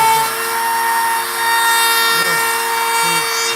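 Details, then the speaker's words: 5.5-amp router carving a sign with a profile bit set far too deep, sinking into and halfway through the board: whine carries a rough, fluttering buzz from the bit shaking; seating the bit further into the collet reduces chatter; router bit chatter. "further that router bit is into that collet, the less chatter you're going to have. Oh, really? And that's what that sound is. That sound is chatter."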